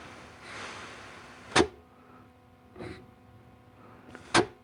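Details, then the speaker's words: Air check of the 3-4 and forward clutches in a 700R4 transmission from a 1991 Camaro Z28 during teardown: short, sharp air puffs with quick clean cutoffs and no lingering hiss; clutch packs apply firmly, normal. "Okay, 3.4 sounds really good and tight. This is your forward. That sounds good."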